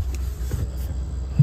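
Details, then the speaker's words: Furrion Arctic 12V refrigerator: steady low hum with no knocks or rattles, an even continuous drone; compressor running normally, vibration felt; customer was told a new internal fan assembly is needed. "the compressor is running I can hear it and feel the vibration"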